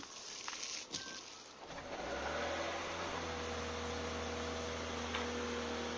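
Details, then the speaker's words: Lexus GS450H (S190, 2006-2011) cold start after sitting unstarted: engine fires, then a quick metallic chatter about four per second over steady idle, quieting within 30 seconds; typical VVT-i rattle, which should stop quickly. "so they have something called vvti rattle basically when you start the car it'll make a bit of a racket and it sounds like the car is broken but it should pass within about 30 seconds"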